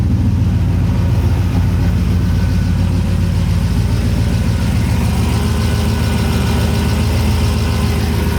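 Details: Scout with new custom-cut exhaust, O2 sensors not yet fitted: deep, steady idle with even low pulse, no puffing or ticking at joints, no leaks heard: normal idle, no exhaust leaks.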